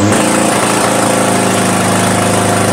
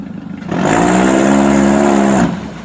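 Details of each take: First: Toyota Camry demolition derby car after an electrical no-start, running with power jumped directly to the computer on limited wiring: rough uneven note stumbles when floored, then settles lower; hesitates under throttle, cause not pinned down. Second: Toyota Camry demolition derby car, now running with power fed straight to the computer on limited wiring, floored after earlier hesitation: engine note climbs cleanly with a strong rising pull and no stumble; normal acceleration.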